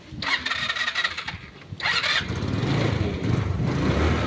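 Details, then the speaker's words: Rusi Passion motorcycle, before repair: uneven cranking catches briefly, then a rough low idle. Hard starting, needs throttle and dies when released; fix planned with D-type carburetor install, spark plug check and tune-up. "mapapansin niyo hard starting an kailangan p samahan ng gasolina tapos pag binitawan yan Patay na"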